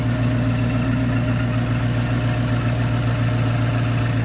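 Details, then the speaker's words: Dodge Charger R/T 5.7 V8 with 3.0 Whipple supercharger, AWD, fully warmed up during base-map tuning: smooth even idle, steady low rumble and supercharger drone, no lifter ticking; normal idle. "It just takes a little minute for the spark plugs to kind of ignite that fuel, which is no big deal. All right, pretty satisfied with that."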